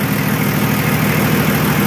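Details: Nissan Patrol Y60, TD42 turbo diesel, first start after 9 months in storage with battery disconnected; one-click start; steady, low, even diesel idle with no knocks, rattles or hunting: normal healthy idle.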